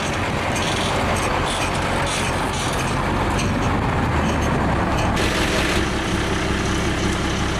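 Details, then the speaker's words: International truck with DT466 diesel, outdoors, just bump-started by towing in about third gear: steady even diesel rumble with no knocks or misses under surrounding truck noise; excellent running engine. "but it's running it's running good let's go that is an excellent excellent running engine"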